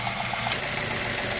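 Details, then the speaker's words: 2008 Ford Fusion 2.3 after oil and cartridge filter change with 5W-20: steady even idle with smooth light ticking, no knocks or misses; engine sounds good. "Okay, so the motor sounds good."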